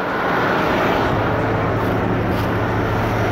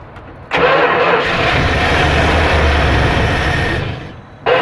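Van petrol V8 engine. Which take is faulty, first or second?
second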